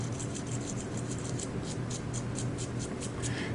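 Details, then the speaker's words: Old Mugen MBX6 Eco RC car wheel bearing spun by hand: rapid, scratchy, uneven ticking hiss; bearing packed with dirt and worn, replaced with new sealed bearings. "okay now this is the old bearing listen to this look at that that's horrible"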